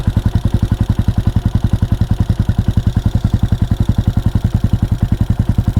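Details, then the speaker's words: CSC SG250 single after MotoCult Stage 4 Plus kit install, idle screw raised slightly: crisp, even thumping through exhaust with valves tapping audibly; healthy, steady idle. "Idle up a little bit. sounds sweet. And it didn't blow up. So that's a win right there. I can hear the valves tap, tap, tapping away. They sound happy."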